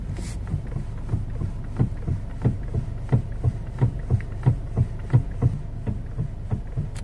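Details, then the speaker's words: Honda Jazz with new parts still knocking, steering wheel rocked from inside the car: dull low clunks about every two-thirds of a second with each rock, a front suspension knock; rack and pinion was suspected but checked negative, rack end, tie rod, ball joint next. "Narinig nyo mga boss yung ingay. Kung mapapansin nyo, may karton dyan mga boss. Hinigaan ko yan sa ilalim dahil isa rin sa mga naging suspect ko ay itong rack and pinion niya."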